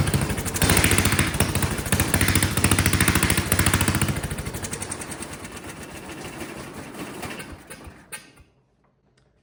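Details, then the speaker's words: Vintage Kohler generator flathead engine runs with uneven chugging pulses that fade and slow until it stalls after eight seconds. Suspected low fuel pressure from gravity feed to a carburetor designed for slight positive pressure, and a loose condenser. "And so being gravity fed, it doesn't have very much pressure at all. So that could be the problem."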